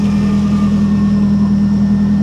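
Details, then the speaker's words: Salvage auction car with low fuel, oil pressure and voltage good, no drive in any gear: steady, even idle with smooth low hum, no knocks, ticks or misses; engine and exhaust sound normal. "okay but the exhaust sounds good the engine sounds good it does the oil pressure is good voltage is good"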